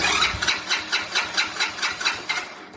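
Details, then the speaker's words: Chinese 125cc ATV that sat over winter, good battery voltage and spark confirmed, cranked with brake held: starter cranks at about four even compression beats a second, then fades without firing; won't start. "and they're right so this definitely hasn't started"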